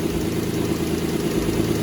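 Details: 2003 Nissan Altima 3.5 V6 idling after alternator replacement, now charging 14.3 V with no dash light; smooth steady idle, even low hum, no whine or grinding from belt-driven parts (old alternator had been making a whining noise).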